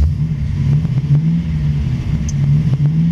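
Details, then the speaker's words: 1950 Ford Sedan Delivery resto-mod, 350 V8 with Turbo 350 automatic, normal idle after start: quiet, even low rumble, no knocks or ticks. Oil pressure about 60, just over 13 volts, automatic cooling fan keeps it running cool. "can barely hear this thing run you can tell it's a v8 though"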